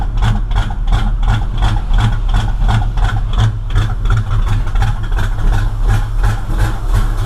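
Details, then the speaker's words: V8 running rich and smoking heavily, idling rough and deep with sharp popping backfires about three times a second out the tailpipes; owner thinks ignition timing is off 180 degrees. "Hear the backfiring? That's why I think it's timing. I think it's off 180 degrees."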